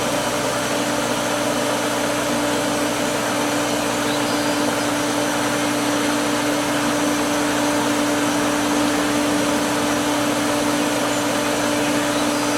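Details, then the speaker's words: Pool pump after priming, still clearing trapped air, valves partly closed for suction: steady motor hum with rushing flow and surges of water coming through; normal. "But it's going to take a minute or so to clear the air. We're getting, you know, bushes of water in there. That's all good."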